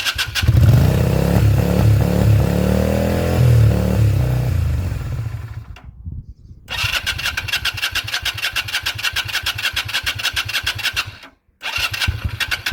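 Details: 2001 Yamaha XVS125 Dragstar, not started in 3 years, fresh battery fitted, oil checked, fuel added: rapid even starter churning in long bursts with brief pauses, never catching: cranks but will not start.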